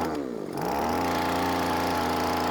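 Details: Aldi Gardenline 26cc hedge trimmer bought 2017, engine possibly 1A34F, starts but won't rev: catches and settles into a steady, fairly low buzz that never climbs, started on choke then half choke; high mixture and idle screws need adjusting.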